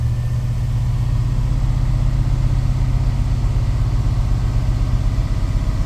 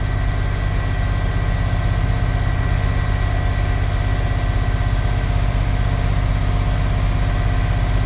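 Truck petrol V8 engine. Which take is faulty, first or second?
first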